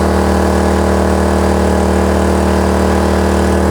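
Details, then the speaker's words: Kraft&Dele KD681 3000 W inverter generator at 2 kW load: raised, steady hum with no surging or misses, output holding about 230 V; normal running under load. "2 кВт навантаження о звук уже змінився двигуна піднялись оберти 2 кВт навіть 200 давайте подивимося 230 В тримає так"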